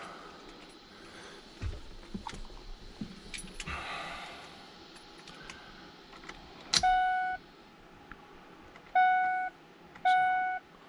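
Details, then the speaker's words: 2003 Ford F-150 with Coyote V8 swap, 2015 ignition switch wired into the 2003 harness, key turned on: three clean chimes about two seconds apart over faint key rattles; cluster powering up normally. "cluster dinging that's a good thing too"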